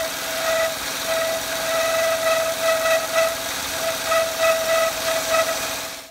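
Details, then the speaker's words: Peugeot 107 (C1/Aygo) engine running: steady high squeak continuously while belt turns, not a loose-belt scream, belt checked not loose; auxiliary drive belt squeak. "it's it's the belt is squeaking it's not squealing like what you'd expect if the belt was loose where they really were your Revit it really screams it's not like that this is just constantly making a squeaking noise as it's rotating"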